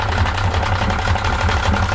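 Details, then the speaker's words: 1995 Yamaha 50hp (62F-80) two-stroke carbureted 3-cylinder autolube outboard: low, lumpy idle with an uneven beat and occasional dropped pulses, not firing evenly on all cylinders. Idle timing is near but not exactly on its mark. "Sehän naksuttaa. Ei ihan käy kaikilla. Juu ei. Ei ihan pelaile."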